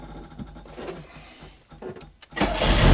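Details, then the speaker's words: Autobianchi A112 Abarth 1050cc race-spec engine converted from timing chain to cambelt, first start on choke: few weak turns then catches sharply and runs strongly, slight rattly, eager sound, great oil pressure; normal start. "It's funny because it sounds like mine, just with a different kind of rattly sound. Still that sound, but not the... It sounds a little better, which is not a surprise. And it sounds really eager."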